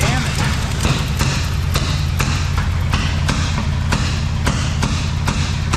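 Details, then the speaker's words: Abandoned 1971 Chevy K-20 350 V8 after 15 years sitting, vacuum ports plugged, given starter fluid: rough, lumpy running with uneven sharp pops about every half second; owner suspects a burnt valve; misfire from incorrect plug wire order. "okay it runs it runs she's backfiring though like it's got a burnt valve"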